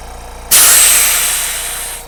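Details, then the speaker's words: Spraygunner "Tooty" airbrush compressor running unrestricted, compared with an old worn compressor: sudden steady airy hiss, then a smooth, even, quiet run easing off; normal running. "now that is a side-by-side comparison of how a proper compressor is supposed to sound even the e the amazon one when it was new didn't sound that quiet"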